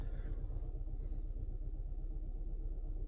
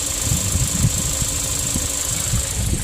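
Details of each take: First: 2016 Kia Sorento 2.4, code P0304, engine oil 106 degrees: rough, uneven idle with a lumpy pulse about twice a second from cylinder 4 misfiring, found to be an oil-fouled plug; engine consumes excessive oil. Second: 2016 Kia Sorento 2.4 with P0304 cylinder 4 misfire, with an oil-fouled plug; engine burns oil, 2.5 quarts added: steady even idle, smooth low throb, misfire count zero, running cleanly on all cylinders.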